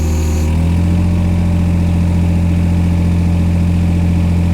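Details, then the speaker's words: Old diesel given revs slowly after finally starting; deep, steady drone at raised, even speed, no knocking or stumbling: running cleanly. "So let's give it some revs. We'll do this slowly because there's going to be a monsoon coming out the back."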